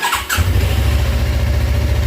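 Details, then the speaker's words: Suzuki GSX250R fuel-injected motorcycle after FI-light repair, light now off, battery not disconnected, started low on fuel: short crank, quick catch, deep even idle with no misses or stumbles; runs at the lowest fuel it has managed so far; normal start and idle. "that's the lowest this bike's been able to run without fuel sounds good sounds good"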